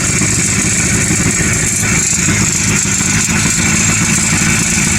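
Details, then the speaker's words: Circa 1957–58 Berkeley SE328 with a serviced Excelsior two-stroke engine, first start after years parked: loud, crackly idle with an uneven, stumbling beat; rough running after long storage, clearly needs a tune-up. "mean it definitely needs a tune-up but well it'll be underneath the car hey not bad that's pretty good"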